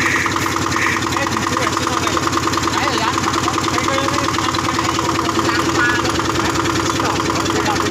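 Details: Yanmar diesel driving a cement mixer, just started after servicing: steady, even diesel clatter at about three beats a second, no misses or knocks; healthy normal idle, ready for work.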